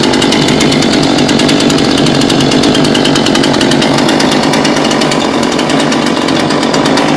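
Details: New Husqvarna chainsaw (second unit bought; first was no good), started after bar and chain install using choke and primer bulb with chain brake off, idling on its own: steady, even two-stroke burble with rapid regular firing, no surging or stalling; normal idle.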